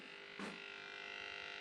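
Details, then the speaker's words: Budget abrasive blaster cabinet, first power-up after rewiring, compressor off: steady fixed-pitch high electrical buzz starts when the cabinet light switches on, likely the light's driver; the light works brightly. "Right, let's turn on the plug. Oh god, trip over everything. Aha! Ooh, bit buzzy."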